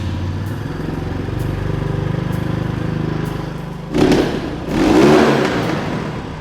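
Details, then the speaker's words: MotoTec X5 250cc dirt bike (K5223 model) after idle screw adjustment: the small single revs cleanly twice from a steady idle with crisp throttle and no misfire. It runs well with good power; clutch and throttle needed some adjustment. "Honestly, doesn't sound bad. Seemed like it had pretty good power."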